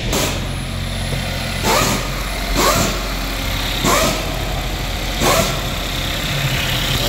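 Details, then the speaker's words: Chevy Equinox/GMC Terrain after high-pressure fuel pump replacement for P0191, keys cycled to build pressure then started: steady even idle hum with a few bursts on top, no misses; runs smoothly, no leaks, check engine light to clear. "All good. Vehicle's running very smooth right now. No leaks. Perfect."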